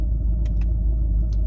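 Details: 2011 Cadillac CTS-V Coupe, about 34,300 miles, with headers and straight pipes but no catalytic converters and no check engine lights; deep, steady low V8 rumble at idle with no misses, ticks or knocks, a smooth, healthy idle.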